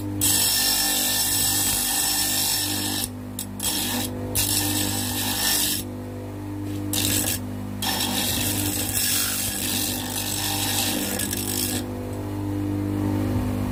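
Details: Homemade bench grinder, table-mounted, grinding a steel angle: steady motor hum with bursts of rough scraping as metal meets the wheel, easing between passes; grinder running normally.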